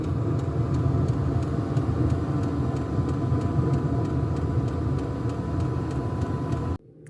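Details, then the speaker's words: Diesel heater, initial startup for home heating: steady low rumble with faint even fuel pump ticking, no surging or stumbling; ticking over nicely, normal running. "Yeah, that's ticking over nicely. Oh yeah, that's beautiful. That's just what we want."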